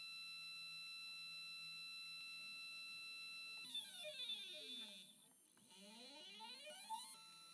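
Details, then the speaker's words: NEQ-6 Pro astrophotography mount after belt modification replacing the gear chain, microphone on the side of the mount: soft whining tones ramping up and down in pitch as the motors slew, with no grinding, very quiet. "gotta love that sound that's so quiet"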